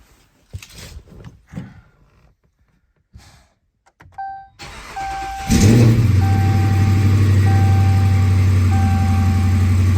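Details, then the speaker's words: Donor 2010 Dodge Charger R/T engine freshly installed in a 2011 Charger with long-tube headers and a 6.4 intake manifold, restarted: after a few clunks it settles into a deep, even idle with no misses or knocks; sounds very good. "actually it sounds really good very very good"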